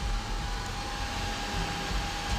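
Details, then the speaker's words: HP a1330n PC with its CPU cooler: steady loud whooshing hum with a clear whine near 800 Hz, constant throughout; loud CPU cooler fan. "I'm hoping this will fit just in case this is like an earlier am too is because this computer is loud as stink"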